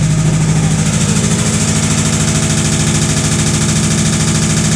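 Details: 1986 Ford bullnose pickup, 302 V8, two-wheel drive, automatic, long-stored: a heavy, steady knock of about three hits a second hammers over the idle. It sounds deep and internal, but the owner judges it not a rod knock; cause unknown.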